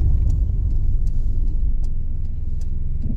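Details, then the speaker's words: VW Golf Mk2 1.6 petrol, 3-speed automatic, engine warmed up, accelerating from a junction to about 40 mph: low steady rumble building smoothly through the gears, no knocks or slipping; normal acceleration. "Quite nicely, actually. Have a listen to how well it gets through the gears."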